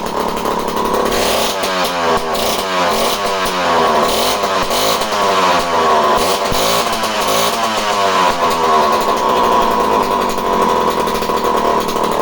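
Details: Homelite C51 two-stroke chainsaw, previously reported non-running, with fresh fuel, carb needles at base factory settings and confirmed spark: busy buzzing note rising and falling as the throttle is blipped, firing evenly throughout; runs normally.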